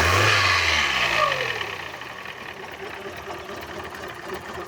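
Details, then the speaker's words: Fiat Uno petrol engine before repair, with a strange noise and poor running: revs drop to a rough idle with a light, fairly regular knock from a worn piston pin. "Uno aqui, que ele tava com um barulho estranho e mal funcionamento e tava batendo pino de pino de pistão."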